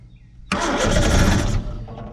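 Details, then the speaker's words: 1970 Opel sitting about 41 years, primed with sprayed gasoline: quiet, then a sudden roar for about a second before fading and stumbling; it won't keep running. "maybe there we go we got her running now come on pick up fuel pump we let her die"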